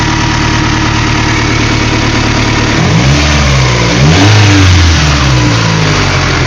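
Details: Honda B16A engine with J1 transmission: idle hunts up and down after a blip, revs swinging unevenly instead of settling; erratic idle, cause unknown.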